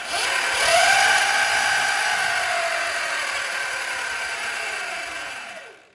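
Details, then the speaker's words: Falcon Pro 79 electric dirt bike, roughly 11 kW stock, rev test: a clean whine climbs quickly in pitch, holds, then winds down smoothly to silence with no grinding or rattle; healthy motor. "This bike is, I think, 11 kW out of the box. I mean, you got to hear the rev rev test it."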